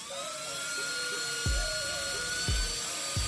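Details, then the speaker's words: Delta 1400W server power supply running again after repair (a MOSFET had exploded earlier) with a normal 12 V output: the fan has dropped to standby after high rpm, giving a steady high-pitched whine at even pitch, showing normal cooling-fan running. "Oke kipas sudah mulai standby karena eh tadi pas rpm nya tinggi"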